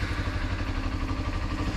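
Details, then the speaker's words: 2007 Kawasaki Ninja EX250 twin revived after sitting about five years with dark old fuel: short burst of steady, even idle with no misses; runs and sounds fine. "Just like that, man, it is running. Sounds pretty good."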